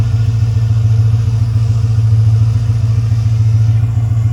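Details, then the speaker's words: Ford F-550 6.4 Power Stroke diesel, cold start after sitting about a week and a half at 25–30°F: it fires straight up and settles into a steady, even low clatter with no misses or knocks. Healthy start. "This old girl's been sitting for about a week and a half now. It's been around 25 to 30 this past week, so I say this constitutes as a cold start."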